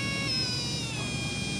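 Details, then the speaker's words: Brushless RC motor spun up on a SkyRC motor analyzer at full throttle with no boost. A clean, steady high-pitched whine holding one pitch; runs smoothly and healthy, with a brand-new motor expected to reach about 30,000 to 36,000 RPM. "So we find anywhere, a brand new motor will rev anywhere up to about 30 to 36,000 without boost and cleanly, and that was nice and it sounded good."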